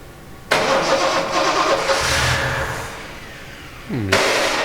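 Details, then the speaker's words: 1970 Triumph TR6 restoration, first start after priming oil system and setting ignition timing: about three and a half seconds of cranking that nearly catches before firing; hard start with choke cable not connected, then runs not very smooth. "it wants to start and the chalk cable is not connected yay it runs"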